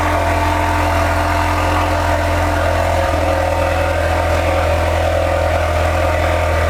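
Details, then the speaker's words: Ford Focus RS started after a fuel filter change, intercooler replacement and a battery disconnect with BCM reset. A smooth, even idle with a steady hum, no misses or hunting, and no fuel leaks found: normal idle. "Okay, we're good."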